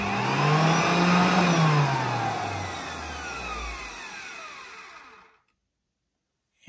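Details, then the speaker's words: Old vacuum cleaner kept running for 5 years, HEPA filter swapped for cloth, soft-starting. The motor spins up with a rising whine and a rough, scratchy edge over the airflow; worn motor, cause unknown. "And yeah, quite a scratchy motor at this point, but yeah, let's just take it to full."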